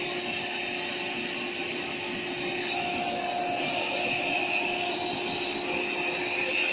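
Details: AeroBed Deluxe Raised double air bed, built-in electric pump inflating it slowly, pinhole leak suspected near the bottom: steady high-pitched whirr with even airy rush, no surging or rattling; pump inflating normally.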